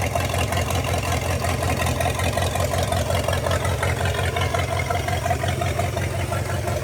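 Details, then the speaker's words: Non-running 1956 265 small-block V8 bought used, now running off its carburetor with a working fuel pump: steady, even low idle rumble with no knocks or misses. Oil pressure not yet confirmed. Normal idle. "I would say that sounds pretty good run out that is awesome anyway I just had to try that fiddle with the carburetor I can't believe it idles with that carburetor"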